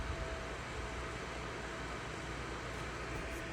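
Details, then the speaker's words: RTX 2080 Super PC with no video output and no POST, after a motherboard beep code indicating a GPU problem: the graphics card fans ramp up to a loud, steady full-speed rush with a faint whistle. The card is sagging, and sag is suspected. "okay you'll notice systems powered on running the fans have kicked up significantly on the gpu and the gpu is sagging"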